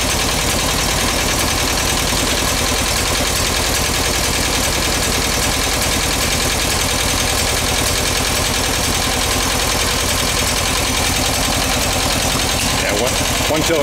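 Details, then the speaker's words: Rescued VW bus flat-four on its first start, carb uncleaned, fed from a gas can: an uneven, stumbling idle with a loping skip as one cylinder misses. It needs work, and the owner plans a valve adjustment. "skipping we're going to go adjust the valves"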